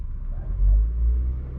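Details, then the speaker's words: Engine idle stuck high at about 2.5 rpm on the gauge after cleaning the throttle and idle air control valve: steady, even hum with no hunting. Owner suspects the IACV flapper was left unlubricated after cleaning. "just like that um i encounter high rpm stock up on 2.5 rpm"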